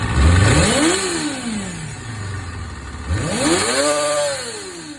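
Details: Honda MC22 engine with an abnormal noise: two sharp high-pitched revs climbing and falling back to idle, a faint mechanical rattle under them; cause not identified.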